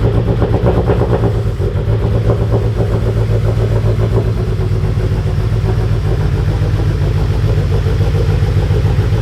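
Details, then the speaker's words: Mitsubishi Evo X, first start with fuel pump upgrade pending; owner expects poor running, spitting fuel out the exhaust; heavy uneven lumpy stumbling rumble from mismatched fuelling, rough running. "it's not gonna run all that good it's gonna be spitting fuel out the exhaust it runs it might run enough to move it"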